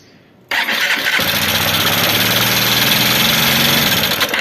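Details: Honda Bros 150 motorcycle after a clutch disc change, oil level correct: engine catches and settles into a fast idle with busy metallic ticking on top; suspected rocker/valvetrain noise from oil not reaching the rockers and camshaft.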